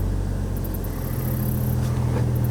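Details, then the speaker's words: 2002 Chevrolet Trailblazer with a cylinder 3 misfire, idling after its coil was swapped to cylinder 2: low, steady, smooth idle with no stumbles, zero misfires and no check engine light. "well that's the best that sounded in a long time it's running smooth huh"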